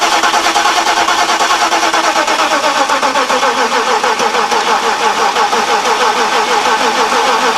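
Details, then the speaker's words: 1991 Mercedes-Benz 420 SEL, 2007 group 49 lead-acid battery after a hard winter, engine disabled: starter cranks about three turns a second, dragging and uneven as open-circuit voltage falls from 12.65 to about 12 V; slow cranking from weak battery. "so that's an example of how these lead acid batteries start to fail"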